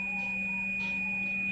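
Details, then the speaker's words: Samsung UA60F6300 60-inch smart TV power supply that trips the meter when plugged in: multimeter on a suspect diode gives a steady unbroken high beep; one of two reverse-mounted diodes is shorted. "Nah di sini ada dua dioda, yang satu ini memang short teman-teman."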